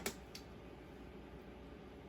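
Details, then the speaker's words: Xbox One S after hard drive and power supply replacement (console had been left plugged in through power outages): single click at power button switch-on, then faint even fan hush with no rattle or whine; normal running, about to install operating system. "we just click the button boom you hear that that's the sound of it being happy"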